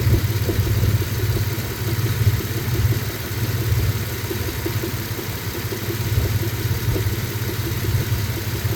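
Steady low idle rumble with an uneven light tapping riding on it, about three a second; a knock of unknown origin.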